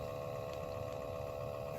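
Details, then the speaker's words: 2013 Toyota Prius C cabin blower before replacement, with nothing found stuck inside. Steady whirring fan with a constant mid tone and a rough hum underneath; noisy blower motor, which was replaced. "be there at all your the Ricci 2013 flow morning noisy noisy you can hear a noise soon with our business no sweetie really noisy really annoying me I"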